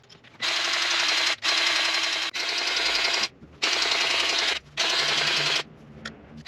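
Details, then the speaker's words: Chinese mini skid steer forestry mulcher getting its first greasing before service: rattling grease pump bursts with faint clicking and crackling as grease purges through the lower bearing, which is normal and means it is full. "You hear that little clicking? That's the sound of the grease has made it all the way through."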